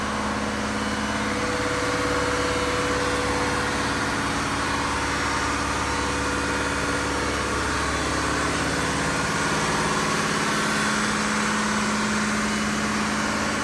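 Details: Diesel fire pump engine on its weekly half-hour test run, isolation valve closed, with a steady, even drone holding constant speed and no knocks or misses; running normally.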